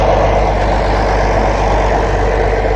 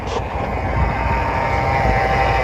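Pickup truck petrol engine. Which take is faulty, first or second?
second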